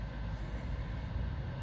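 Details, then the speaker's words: 2015 Mitsubishi Outlander Sport 2.0 ES 2WD, ~59k miles, idling in drive on the brake: deep, uneven rumble wavering in loudness; new plugs, MAF and AC Schrader valve didn't help, no vacuum leaks found, no check engine light. "it's just back to having a messed up idol again i haven't found any vacuum leaks or anything and there's no check engine light so i don't know what's causing it"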